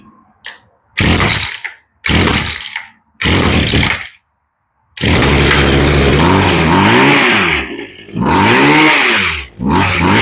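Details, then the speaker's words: Poulan Pro hedge trimmer that wouldn't idle, on its first start after an ultrasonic-cleaned carb rebuild: short two-stroke crackling bursts, then running with its pitch hunting up and down. Idle speed is slightly off and needs a touch of screw adjustment. "Sounds like a touch for idle. There you go."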